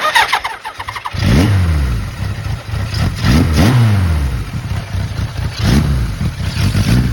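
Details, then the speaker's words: 1980 Kawasaki KZ1000G (Z1 Classic) with unresolved idle problem: lumpy, uneven idle that surges and sags, hunting and dying; cause unknown. "not now it's doing that thing it was doing that i was trying to describe like it idles crappy and dies"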